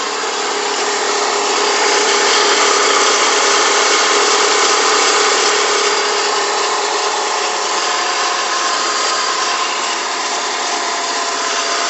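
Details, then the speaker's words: Stratus petrol engine idling cold on a morning start after sitting for hours: rapid rubbing, chattering noise about four beats a second from the timing belt area, gone after about five minutes; water pump was replaced about four months earlier. "Cada vez que lo prendo en las mañanas se escucha el siguiente ruido. Los ruidos en el área de la banda del tiempo"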